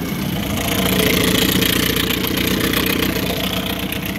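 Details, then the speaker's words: Steady, even two-stroke burble at idle, about 3.5 pulses a second, with water splashing behind. This is a serviced 1974 Johnson 15hp outboard with low-tension magneto on a pond boat, not yet warm, and the thermostat is probably closed. Healthy idle. "so he's idling now looks like the thermostat is probably closed at the moment it's not spitting very much but when it's good and warm it spits good reverse"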